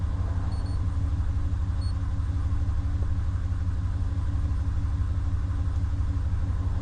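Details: 2019 Ram 1500 that had a no-start with no power, now running after the RF hub module was cleaned and its suspected shorted capacitor removed: smooth, even low rumble at steady idle, no knocks, misses or whine; normal idle.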